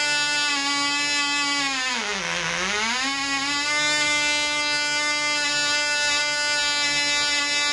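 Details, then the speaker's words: Black Widow mouse racer second run after loose screws found, 24% nitromethane fuel, 5x3 prop, high-compression head: loud high buzzy note dips briefly then climbs back and holds, about twice as loud with prop wind audible; runs better. "it runs out that cigs about twice as loud and I swear I can hear the wind off the prop so it runs better"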